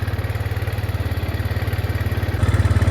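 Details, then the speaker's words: Arctic Cat 400 4x4 ATV that wouldn't start after sitting a month, fixed with a new battery and sorting a bad starter solenoid/relay: a steady, even single-cylinder thump at about 3.5 beats a second with no misses; healthy idle. "took a new battery that's it it's running"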